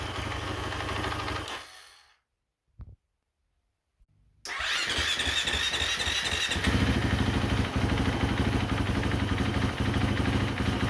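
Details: KTM Freeride 350 that only starts with throttle, dies if revved, cold stays running at most five seconds, improving as it warms: engine dies, restarts, then idles unevenly with hunting, stumbling beat; cause unknown.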